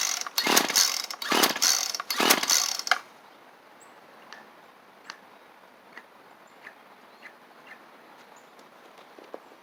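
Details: Poulan two-stroke pole pruner just fitted with a new carburettor, air filter and primer bulb kit, with the fuel filter fitting uncertain: three quick recoil pulls about a second apart and the engine never catches. Hard starting, though it ran on two-stroke mix before the work.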